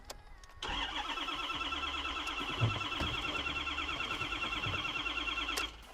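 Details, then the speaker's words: Rolled-over salvage 2013 Ford F350, never started since purchase: starter churns evenly about three turns a second for five seconds but engine never fires; crank no start, owner suspects fuel pump shutoff switch. "nope let's try one more thing I know Ford's have fuel pumps which shut off"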